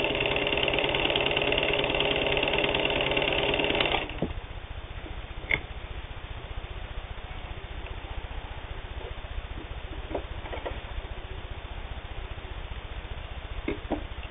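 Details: Singer 15-91 Black Beauty WWII-era all-steel sewing machine, can-type internal motor with worm gear drive, sewing light sheeting: fast, even needle chatter about three to four stitches a second over smooth motor hum; normal running.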